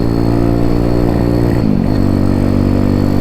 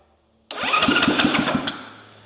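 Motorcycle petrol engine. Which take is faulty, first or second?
first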